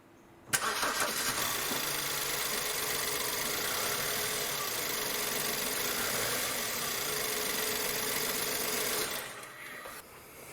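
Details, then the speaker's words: 2008 BMW E90/E91 318i petrol starts and idles unevenly with a lumpy, stumbling beat; misfire on three cylinders, fixed by replacing spark plugs and coil packs. "so um just to show you how the car is actually running at the moment is misfiring"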